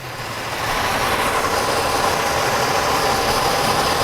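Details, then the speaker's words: 2003 Chevrolet Monte Carlo SS, oil black and due for a change; even steady idle with a smooth hiss and no tapping or knocking, engine runs clean. "i'm gonna need some windshield wipers but she runs she's not a knock-in"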